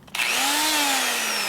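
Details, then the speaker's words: Air-line die grinder with a carbide burr cutting a 74-inch shovelhead Harley cylinder head, without enough cutting lubricant: high whine that sags and roughens once the burr bites into the metal; the burr is loaded up and needs cleaning. "doesn't sound noisy until it goes in there, and then it gets real ugly. It also sounds like it's loaded up."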